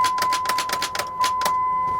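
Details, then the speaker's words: Truck with 144,000 miles, on a jump start: a quick even run of sharp starter clicks, about five a second, but the engine never cranks. It is a suspected non-runner and the cause is not confirmed. "I mean the starter was doing its job you could hear the starter clicking but it sure wasn't turning anything over was it"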